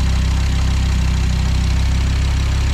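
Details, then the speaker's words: Audi S2 revived after nearly 5 years sitting, MAF sensor working; an earlier clatter that the mechanics think is not the mechanical tappets: low, smooth, steady idle, quieter than expected, no ticking or knocking. Normal idle. "Comme elle est silencieuse. Je pensais qu'elle faisait plus de bruit que ça à l'époque."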